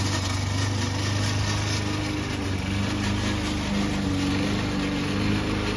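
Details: Old Toro Recycler mower cutting Kentucky bluegrass, binaural recording: an even engine drone with a persistent mechanical rattle from the drive system. The noise problem was later solved with WD40.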